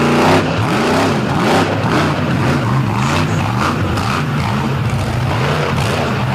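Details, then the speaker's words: Monster truck at Brooksville All Star Championship, Athena Cozell's truck on a run: big engine under hard throttle, roar wavering and surging unevenly rather than pulling clean; rough and down on power, clearly having engine problems. "You can hear this engine is not very happy."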